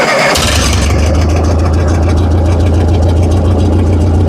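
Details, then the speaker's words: Massey Ferguson TO-30 tractor, about 70 years old, after turning the carburetor mixture valve out four or five turns to run very rich, no intake or airbox fitted yet: catches after brief crank into a steady, even low chug without choke; normal idle. "so I just had to run it Way Way Rich I just had to turn that freaking valve way out like four or five turns and uh now she's running on her own without having to hold the choke out"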